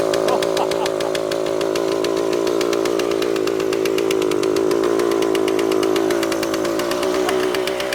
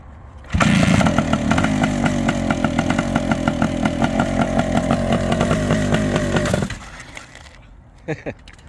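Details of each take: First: Suzuki TS400 Apache two-stroke, sat outside for years, first start with carburetor untouched after two kicks: screams at steady high revs, never settling to idle. Runaway, shut down before it got out of control; air leak suspected, to be checked. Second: Long-stored Suzuki TS400 Apache two-stroke with a partly seized clutch, first revival start: loud, raspy buzz with a fast crackling beat holding steady about six seconds, then cutting out; engine runs.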